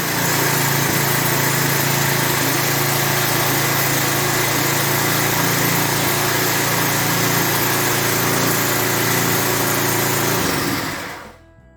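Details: Lawn edger 3.5 HP Tecumseh single-cylinder after priming and properly installing the air filter: steady, even buzz at constant speed until switched off; runs clean and smooth.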